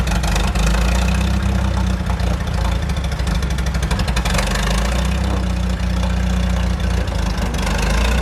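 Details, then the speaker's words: 1947 Chrysler brought back to life after sitting: a deep, steady low rumble holding an even idle for several seconds with no dropouts. It is running on its own. "It should uh just start at idle pretty good."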